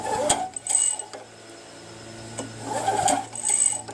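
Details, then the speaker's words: Craftsman Eager 1 mower with Tecumseh engine, engine off: two bursts of dry, tinny rattling as the starter rope is pulled and recoils; recoil starter suspected, but the noise persisted with it removed, so cause unknown. "So I did have one person who told me it's the recoil starter. He could be right, because when I do pull it, when I retract it, it makes that rattling sound."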